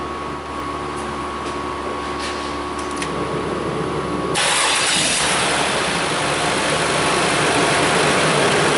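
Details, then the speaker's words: 2006 Mazda 6 3.0L V6, fans running on after shutoff: idling engine with steady fan rush that suddenly jumps to a much louder roar, fan duty cycle jumping 0–70%; erratic cooling fan speed, suspected bad fan control module. "you hear them fans are just going like crazy right now"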